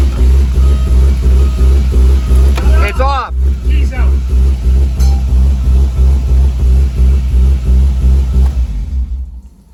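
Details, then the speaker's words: Engine fires on the first click but runs with a lumpy, pulsing beat about three times a second that rises and falls unevenly; owner says it is definitely not running right, though not lacking power. Cause unknown. "huh no it doesn't sound right at all well the motor sounds good it's definitely not running right"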